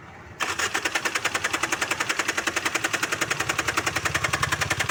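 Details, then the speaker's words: Tata Indigo ECS Dicor diesel cranking during injector back-leakage check: even fast cranking at about three to four compressions per second that never catches; crank no-start. "चलिए गाड़ी start कीजिए driver साहब, गाड़ी start कीजिए। गाड़ी round ले रहा है, गाड़ी राउंड ले रहा है।"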